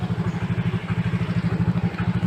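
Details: Yamaha Mio J injected scooter after replacing the MAP sensor that caused hesitation under throttle: even, regular putt-putt at about eleven beats per second with no misses, a clean healthy idle with the problem cleared.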